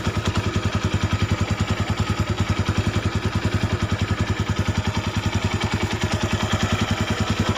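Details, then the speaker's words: Honda Tiger 200cc single after cam chain replacement, idle without clutch pulled: even quick pulses, no chain rattle or tapping, clutch area slightly noisy but smoother with clutch pulled; normal idle. "nah ini suaranya seperti ini Lur langsamnya dan ini enggak dipencet kopling kalau kita pencet lebih halus"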